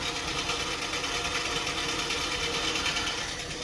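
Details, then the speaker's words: Dodge M880 W-200 truck started after sitting for years: a fast light ticking whir over a steady idle from the front accessories. Owner thinks it's the water pump bearing; the truck smokes a little. "way happier I think that's the water pump bearing"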